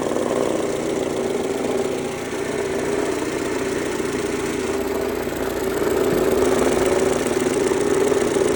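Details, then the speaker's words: 2003 Mercedes-Benz A140 (W168) at idle; a sudden new noise from the front of the engine, light fairly even tapping about four times a second over the hum; cause unknown, owner asking for help. "jetzt macht er vorne seine Motorgeräusche und dazu bräuchten wir eure Hilfe."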